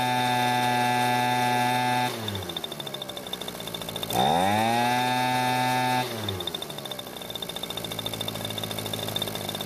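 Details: Echo leaf blower two-stroke after fixing the cause of no-start after storage, primer bulb cracked: buzzy note drops and rises as throttle is worked, steady without stumbling; carburetor leaking fuel still. Normal running.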